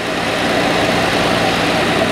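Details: 1962 Dodge D300 old six, air cleaner on, idling: loud, steady, even rumble "like a sewing machine", no knocks, misses or squeals; runs good, oil gauge not working.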